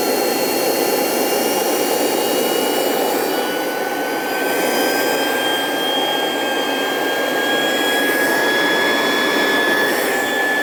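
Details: Dumore toolpost grinder, high-rpm motor on temporary glued belt: smooth high whine climbing slightly as it comes to speed then holding steady, smoothed out at higher rpm; normal running at speed.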